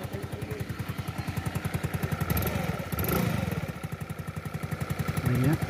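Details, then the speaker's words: Suzuki Skydrive 125 scooter idling after hard-starting and misfire wiring repair, now starts fine; steady quick tapping knock over exhaust beat, engine noise still unrepaired, left for a later visit; connecting rod knock. "Kaso nga lang may problema pa yung kanyang makina mga sir. Maingay yung kanyang makina."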